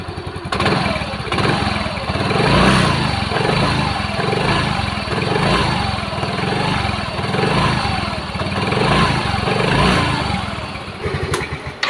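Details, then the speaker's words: Yamaha Mio M3 scooter after CVT repair, fan part replaced (previously rattling oddly at idle): steady, even, soft idle with no rattling or chattering from the belt drive; normal idle. "Oke teman-teman dengarkan sendiri suaranya Suaranya Hening ya halus"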